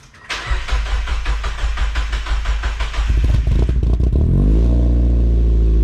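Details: 2000 Mazda MX5 Miata NB, first start after installing an ISR cat-delete exhaust with a four-inch muffler exit. Quick crank and catch, a brief rev, then a deep, loud, even idle with no puffing or ticking; no exhaust leaks felt.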